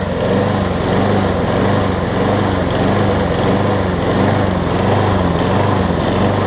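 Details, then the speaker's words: Craftsman self-propelled push mower after a new flywheel key and carb, started with starter fluid, jet possibly partially clogged again: the engine hunts, rising and sagging about every half second. Rough running and surging; owner suspects a stuck float. "I wonder if the float got stuck on it. I wanted to run for a good 10 10 minutes or so, honestly. So, it almost sounds like the float's gotten stuck on it, unfortunately."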